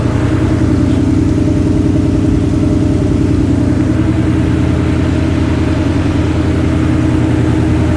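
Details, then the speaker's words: Ford Ranger after custom fuel cell and in-tank Holley Sniper EFI pump replaced external pump that used to scream after an hour or two of driving: smooth, steady idle, only exhaust note heard, no pump whine; healthy. "So not being able to hear it at all right now, and just the exhaust note, that's definitely a plus."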